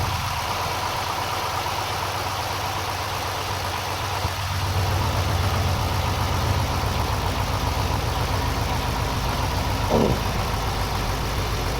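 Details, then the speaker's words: GM LS4 V8 in a Pontiac Grand Prix GXP, cold first start after replacing the spark plugs and wires. It settles into a steady, even idle with only a rare miss, normal when cold, and no knocking or ticking. Normal idle. "seems to be running okay. As usual on the first startup when the motor's cold, and this motor was cold when I did this, you're gonna get a miss here and there, but that's normal."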